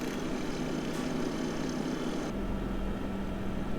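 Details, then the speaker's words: Waeco camping fridge after replacing its cooling fan (part D12BM-2, seven-blade replacement for five-blade original): steady low hum and soft whir, no rattle, good airflow pulled through the cooling coil; normal fan running. "oh sweet nice airflow blowing out of there and it's pulling through the back of that cooling coil awesome"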